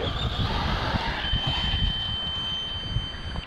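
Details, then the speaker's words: Kraton EXB 6S RC car while bashing: steady high-pitched electronic beep for about two seconds over motor and tyre noise; cause unknown, owner hopes it isn't the handset battery. "i don't know what that beeping was hope it wasn't the handset battery because i haven't brought any with me"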